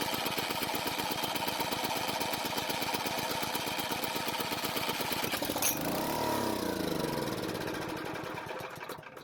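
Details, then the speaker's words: Powermate generator that sat unused a long time, test start with drill and starting fluid: rapid uneven firing chatter, then revs fall away and it coasts to a stop; won't run on its own fuel. Low compression, piston rings suspected stuck; fuel system still to be fixed. "the next thing i want to do is to try a test start using the drill and some starting fluid"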